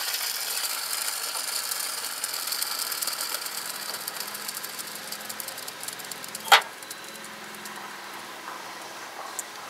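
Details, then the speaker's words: Hand-spun belt tensioner pulley, removed during tensioner replacement, with black crud around it; the bearing spins awfully free with a dry, gritty whirring rattle that slowly fades. It is worn out and needs replacement. "was definitely wore out it's time for a replacement"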